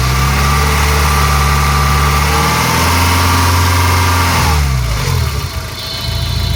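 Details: Peugeot 306 GTi-6 engine idling with a rattly screech riding over it, then a rev blip; owner does not know the source of the noise.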